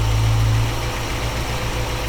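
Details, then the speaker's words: Chevrolet small-block V8 in panel truck, freshly installed, roughly timed, baseline carb tune: steady low idle rising after a quarter turn on the mixture screw, from about 650 rpm to above 700. "More RPM. Up above 7 again. Okay, these things are all rising."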